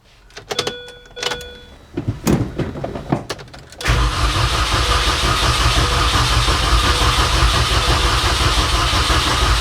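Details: 2006 Mini Cooper S R53 after cylinder head replacement, coil pack disconnected to prime oil: scattered clicks then steady starter churn that never catches; cranking without firing, ignition disabled, fuel being delivered.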